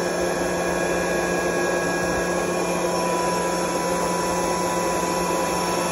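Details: Curtis 25 hp 480 V electric air compressor, belt-driven Roots-style twin-rotor unit with oil tank cooled by separate motor: loud steady drone, constant hum and even rush, no knocks or rattles; running smoothly.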